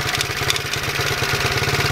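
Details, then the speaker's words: Single-cylinder, cold and nearly out of gas, idling: quick even patter with a light metallic rattle on top; rattle source unclear. "it's almost out of gas too but I think it'll start I'm not really sure what that rattle is"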